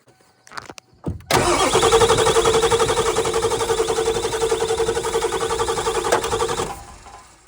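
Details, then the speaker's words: Ford Powerstroke diesel with driver's-side injectors swapped from a donor truck (old O-rings badly torn): starter cranks at a steady even beat for about five seconds but never fires; crank, no start, cause unknown. ">> Yeah, it's making noises. Just like we haven't fixed a [ __ ] thing."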